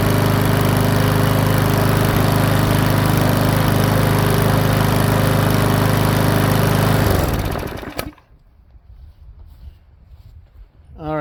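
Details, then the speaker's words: Powersmart 170cc lawnmower after valve adjustment, governor tab bent to raise speed from about 2900 to 3100 rpm: steady, even running with no misses or hunting, then shut off. Normal running. "so just a really minor um adjustment on that actually brought up to 3100 RPMs and I know that's suitable for some lawnmowers and I'm thinking it's suitable for this one"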